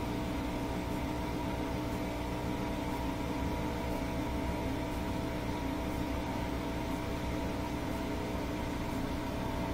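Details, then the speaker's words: Bosch Axxis washer manually set to spin at 1000 rpm: steady even motor hum with faint tick about once a second as the drum turns; normal spin, drain, motor and belt working. "and then pretty soon it should fire up and do the spin cycle so it'll probably do a couple of rotations each way to balance the load and then they'll pick up speed got it set for a thousand rpms"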